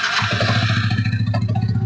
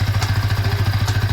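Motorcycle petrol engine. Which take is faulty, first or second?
first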